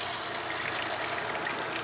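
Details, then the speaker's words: Steady, full hiss of strong water flow from a camper faucet after the Surflo 2088 pump was replaced with a Surflo 4008 Revolution; before the repair water barely came out. "beautiful water coming out now unlike before it was barely coming out at all so I'm getting tons of pressure coming out of there"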